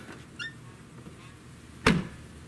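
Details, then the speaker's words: 1999 Toyota Solara trunk with the rubber gasket removed, which had stuck out under the repainted bumper cover and blocked latching: one solid thud, latches cleanly with light touch, no rattle or bounce; normal trunk close. "okay it's working fine now just barely even touch it doesn't sound good because there's no rubber gasket so clearly the rubber gasket is a problem"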